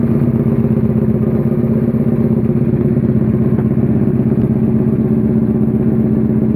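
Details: Suzuki SV650 supertwin self-build project after rebuild: even, lumpy V-twin idle beat holding steady speed, no knocks or misses; normal idle.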